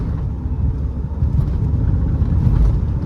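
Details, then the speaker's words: 2017 Mahindra XUV500 with the 1.99-litre diesel, about 64,000 km, accelerating in third gear up to 80 km/h; a deep, even drone building steadily under load, with no knocks, rattles or whine, pulling smoothly. "उड़ती हुई जा रही है 80 की speed पर गया हूं मैं रत्ती भर की भी मेरे को कोई नॉइस की कंप्लेंट है ही नहीं इस गाड़ी के अंदर से"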